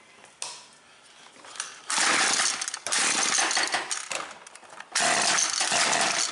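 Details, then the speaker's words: Husqvarna 325P4 pole pruner, intermittent no-start: it cranks fine for a couple of pulls, then catches in ragged bursts and sputters. At first a fouled plug was suspected; protective insulation had slid up and the plug wire was chafed. Severe ignition misfire. "I'm getting intermittent fire. It'll crank fine for a couple pulls. And it just misses like crazy."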